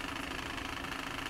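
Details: Broan-Nutone 684-D/2684F-A bathroom exhaust fan rated 2.5 sones, motor shaft has no side play: steady buzzing rattle with a thin whine over the motor hum, pulsing evenly; sounds like a worn motor bearing, fixed by replacing the motor.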